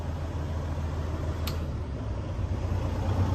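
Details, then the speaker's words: 2012 Western Star 4900FA truck with replacement diesel engine, brought back down to idle: steady even low rumble with no knocks or misses; smooth, healthy normal idle, a minor body rattle noted. "You can hear it run smooth."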